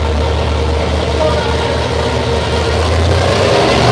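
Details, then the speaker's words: Big V8 with air grabber ram-air package idling and revving, loud steady whine over exhaust rumble from its gear-drive timing set, likened to a vehicle in reverse; normal gear-drive noise, not a fault. "This is a gear drive. You look how loud it is. I love the concept of gear drive. Right. It's the sound that bugs me."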